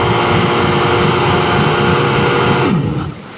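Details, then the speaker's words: 1999 Yamaha SUV 1200 fitted with an SBT engine, after carburetor internal repairs and a rerouted exhaust hose, hot. A loud, steady two-stroke drone with no misses or rattles, then a clean key-off wind-down; it runs well hot. "there's our hot kill sounds good dude"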